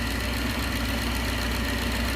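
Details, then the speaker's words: 1969 Gloria supercharged V8 at first proper start, idling: rough idle with faint light knock that grows as crankcase vacuum builds; cam cover baffle pulled down by crankcase vacuum and touching, noise stops when vacuum removed; catch can not yet fitted. "i can hear it i can feel it there too it'll get louder and louder as you pull crankcase vacuum pulls the baffle inside the cam cover down and touches against henshaw you take it away and the noise goes away"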